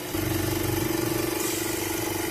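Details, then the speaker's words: Oxygen concentrator compressor running with flow set to about 2 liters per minute: fast regular throbbing hum, very shaky, pressure gauge jumping violently around 2 bar and compressor getting hot; excessive vibration with pulsing pressure. "Adjust the flow here a bit, like 2 liters per minute. And the compressor is very shaky."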